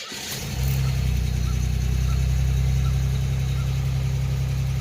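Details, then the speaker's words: 1987 Chevrolet Celebrity Eurosport 2.8 V6, 237k miles, first cold start after fitting a MagnaFlow high-flow catalytic converter in an all-new exhaust with a single-in, dual-out Pontiac 6000 muffler: catches cleanly, steady even low rumble, much less raspy. "So much better. So much better. Now, if you did not know, the whole exhaust system is brand new."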